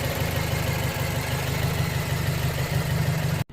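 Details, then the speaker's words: 2008 BMW 116i E81 1.6 petrol with engine light and code 29D0: uneven lumpy low throb at idle rather than a smooth hum; rough running, misfire suspected but not confirmed before scanning. "he sounds really be rough he definitely does it definitely sounds a little rough not sure if is gonna be misfiring but"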